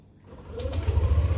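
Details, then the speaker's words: Yamaha Aerox 155 scooter started after sitting three weeks unused: brief starter whir, then the engine catches straight away into a quick, even low putter; clean, healthy cold start. "Alhamdulillah tokcer temen Hai ini suara mesinnya jika tiga minggu Enggak saya hidupin"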